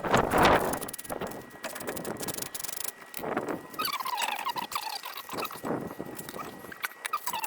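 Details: 2004 Ford F150 5.4 V8 4WD with a front-suspension rattle that rises and falls with speed. The front hub turned by hand gives irregular squeaks and rough scraping from a worn wheel bearing; the hub assembly is being replaced.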